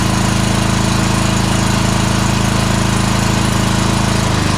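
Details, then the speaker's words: Exmark 52" Pioneer S zero-turn (PNS720KC523), Kohler KT720 twin running rough, low power, popping, bogging under blade load: loud uneven chuffing about four beats a second, one cylinder dropping out; later traced to a failing ignition coil. "as we take a look at this and listen to how it sounds we can definitely hear that one of the cylinders is dropping out at least is what it sounds like"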